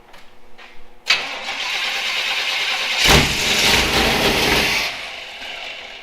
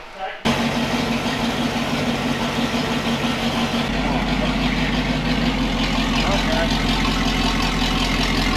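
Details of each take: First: Jeep Wrangler YJ after long sitting, first start of build: steady starter cranking that briefly swells but never catches; injectors pulsing but no fuel pressure, fuel pump judged bad. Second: Jeep YJ idling right after first start following floor and wiring work, after an earlier no-injector-pulse, no-fuel attempt; engine catches fast and idles evenly, exhaust leak puffing audibly (newly built exhaust leaks).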